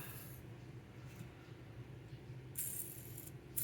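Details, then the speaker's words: Skateboard bearing, high mileage, hand-spun after an alcohol cleaning: a gritty, uneven rattle with no smooth whir; rough, likely from wear. "Ooh, that one doesn't sound great either. I've ridden these a lot of miles, so maybe they're getting old and done"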